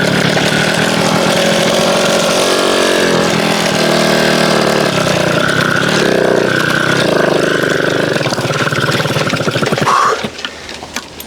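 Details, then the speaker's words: MBK 51 two-stroke moped: a ragged buzz catches, stumbles and fades, struggling to start and keep running; owner suspects a slightly lean mixture and plans to open the mixture screw. "Après, elle est peut-être trop pauvre aussi. Elle est peut-être trop pauvre à peine. Je vais essayer d'ouvrir à peine la vis la richesse."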